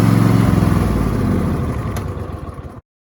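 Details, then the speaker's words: Cub Cadet riding lawnmower single-cylinder engine started right after the fuel filter was replaced, with the clamps snugged against the new filter: quick, fairly even chugging beat for a few seconds before shutting off; normal running. "And we'll go ahead and fire it up. Make sure it runs right."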